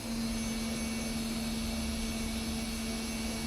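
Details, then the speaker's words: Porsche 924 during electrical and starter work: the fuel pump is run to check for leaks before cranking and gives a steady, even electric hum with a clean mid-pitch tone and no sputter. The fuel pump runs normally. "Let the fuel pump run for a second and see if we have any leaks again."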